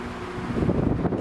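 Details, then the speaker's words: Restored 1938 Robbins & Myers 16-inch Double Diamond pedestal fan started on high, then low: soft, even whoosh of air with no ticking or rubbing. Normal, smooth running. "i'll start on high that way you get the startup sound that everybody likes here we go lovely absolutely lovely"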